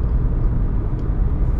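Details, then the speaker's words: 2003-2013 Toyota Corolla driving at 34-35 and 45-50 mph: steady, even low road hum with no growl or rumble building with speed; noise gone, normal wheel bearing. "okay 4550 and the noise is gone so that mean that bearing is bad"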